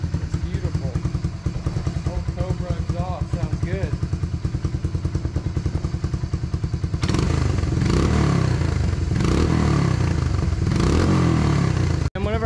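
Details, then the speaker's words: 1992 Honda Fourtrax 300 ATV, single cylinder, first start with a new battery after a clogged main jet was cleaned: even, steady thumping that picks up smoothly under throttle without misses; normal running after repair. "the main jet was clogged so i clean it out and put it back together and now let's see if she'll fire up"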